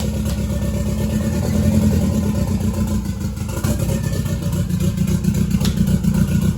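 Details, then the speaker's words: Toyota MR2 with a 3SGTE Gen4 engine, just started, exhaust not yet fitted. Loud open-pipe rasp with steady firing and a gentle climb in revs, no knocks or misses. Healthy fresh engine. "The car now that we fired it, it just one bump and it starts right up."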